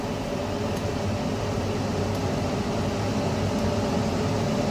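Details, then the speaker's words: Carrier Infinity 96 58MVB-080 gas furnace switching to high heat: high-heat relay closed, inducer speeding up, blower kicking on; even fan rush and low steady hum, no scraping or rattling; normal high-stage inducer operation. "there we go high heat relay has closed so now the inducer is going to start speeding up blower is kicking on"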